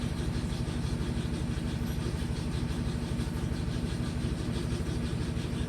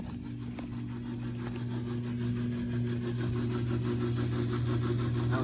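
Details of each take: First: LG inverter direct-drive washing machine found in the garbage, first test on high spin speed: even, rapid pulsing hum about three beats a second, steady and smooth with no knocking or scraping; healthy spin. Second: Discarded LG Inverter Direct Drive washer running a cycle. Even chugging about four beats a second, 'choo choo train', over a steady low motor hum; drain pump sounds wrong, cause not found.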